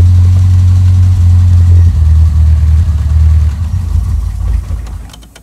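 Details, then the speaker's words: Cartier 2374 tachometric relay repaired, vacuum hose to the module plugged; petrol engine now idles with a steady, even low hum, far better than before when it needed full choke to idle. "Mais ça ressemble déjà à un ralenti vachement plus"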